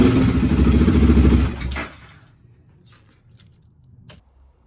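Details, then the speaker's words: BMW F650 GS with bucking and stalling at high speed, after tank cleaning, pump strainer, new inline fuel filter, injector, adaptation reset and idle actuator test: single thumps under two seconds then dies, faint clicks; stalls after start. "I then cleared the adaptations on a diagnostic tool and tested the idle actuator and started the bike up again but it continued to stall"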